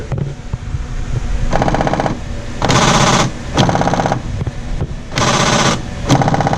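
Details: 2007 Honda CR-V rear door: repeated second-long bursts of rapid buzzing clicks, stopping and starting again; failing rear door lock actuator chattering, noise gone after actuator replacement.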